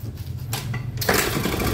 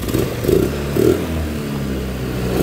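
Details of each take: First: Honda Vario 110 carburetor scooter, freshly rebuilt after a late oil change damaged the piston, hard to start and won't idle: a brief labored kick-start, then it catches and revs unevenly; smoke comes from the breather hose, pointing to low compression. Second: Carbureted Honda Vario 110 scooter after an engine rebuild following late oil changes: revved in even bursts about once a second, rising and falling cleanly with no knock or rattle; it idles, starts on one kick and no longer smokes from the breather hose.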